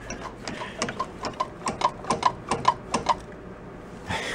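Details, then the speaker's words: Drum brake of a rat rod quad, wheel turned by hand: sharp metallic ticks about two a second, fading as it slows, something dragging inside; owner suspects no brake shoes inside, unconfirmed. Rear-only brakes struggled to stop it loaded. "no sounds like a mechanical something inside the wheel"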